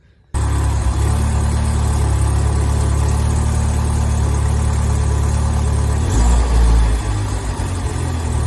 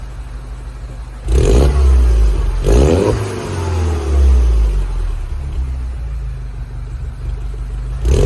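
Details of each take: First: Mini R56 idling: rough, deep idle with a chuffing pulse about four times a second from an exhaust leak at a poor exhaust connection underneath, paste applied before fixing. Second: Mini R56 track car warming up after an exhaust repair that cured a blow at the front: deep, clean revs over a steady idle, no puffing or ticking, exhaust sealed and sound.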